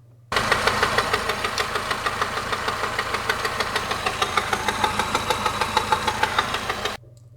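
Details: 2011 Mini Countryman at idle before repair, rattling for six months with no debris in oil: fast metallic clatter about three ticks a second, like a rod knock; cracked water pump pulley and worn belt, fixed by replacing both.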